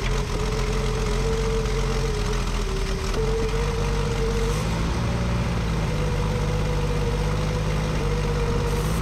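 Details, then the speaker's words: 1965 Ford F100 at idle after carburetor cleanup: steady idle with a wavering whistle and slightly uneven beat; vacuum leak persists at the carburetor, which has stripped holes and lacks the right gasket set. "All right, you can see we still got a vacuum leak. That carburetor is just trash."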